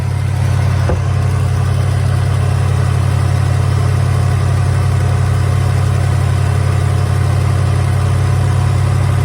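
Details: 1983 Hurst/Olds 15th Anniversary 307 V8, revived after sitting parked since about 2002: a deep, even idle burble with a steady beat and no misses or knocks; runs pretty good.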